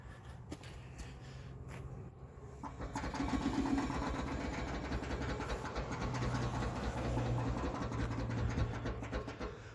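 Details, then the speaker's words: Land Rover with a Detroit locker, disengaging as the lifted wheel is turned off the ground: steady clicking about four per second over a low rumble, which is normal locker ratcheting. "anyone ever wondered what a Detroit locker sounds like when it's disengaging."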